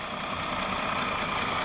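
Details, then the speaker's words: 2020 Jeep Gladiator Rubicon, 6-speed manual, 62k miles: engine warm at idle, smooth and quiet with only light even injector ticking, no lifter tick or knock. "And it's nice and quiet. The only The only ticking you hear is the injectors. I can hear those clicking."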